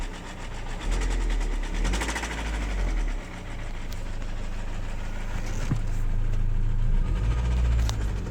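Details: Renault Laguna 2 1.9 dCi F9Q diesel idling with a deep, regular knock about four per second under the clatter; knock inside the engine.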